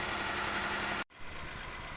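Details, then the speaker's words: Nissan Almera with code P0302, warmed to about 92°C and back at idle, still on the original failed coil: lumpy, uneven idle with a stumbling beat and a shaking engine; cylinder 2 is misfiring from the failed ignition coil. "นี้เครื่องยนต์ลดรอบลงมาแล้วเป็นรอบเดินเบาแล้วก็ยังใช้คอยตัวเดิมอยู่นะคอยที่เสียนะเนี่นะทุกคนดูนะเครื่องสั่นนะ"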